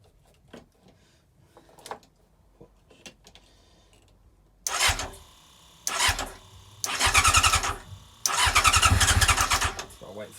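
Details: Old scrapped R6 with a replacement ignition barrel, lights on and the fuel primer pump heard. Several short starter-cranking bursts with quiet gaps between them; the engine cranks but never catches. The owner suspects fuel still needs to get through, maybe the choke.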